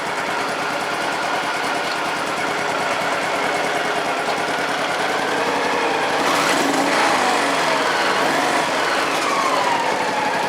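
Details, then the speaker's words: Honda Pacific Coast PC-800 at warm idle after a no-start, new spark plugs fitted, good throttle response: about six seconds in, a soft whooshing rush joins as the radiator cooling fan kicks on, which is normal. "now we're closing in on this son of a so well I think I can hear the fan coming on"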